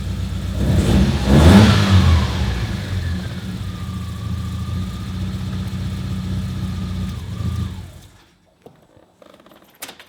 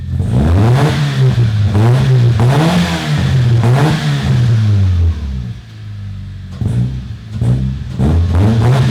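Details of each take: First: Car just fitted with an exhaust-mounted igniter kit (hole drilled in exhaust, control box): blip then uneven, lumpy idle before shut-off, sounding like only three cylinders running; rough running, cause unconfirmed. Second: Toyota Corolla revved with a sparkler in the exhaust to test for flames: repeated clean blips, pitch rising and falling smoothly, no popping, misfire or backfire. No flames because there is not enough unburnt fuel; the engine is healthy.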